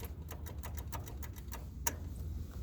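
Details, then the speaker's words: Craftsman mower with a battery moved over from the Gilson: rapid, even solenoid chatter about six clicks a second with no cranking, caused by a loose battery terminal; it cranked once the terminal was tightened. "Trigger these tight. That's tight. Woo, this one's loose. Alright, let me fix that."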